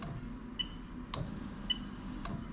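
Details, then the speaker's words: Toyota Celsior/LS400 1998–2000 RHD engine harness adapted to standalone, on the bench: fuel pump relay toggled from the code reader, crisp clicks about every half second switching cleanly; relay working properly. "so what i'm going to do is i'm going to keep pressing it so you can hear the relay clicking on it off"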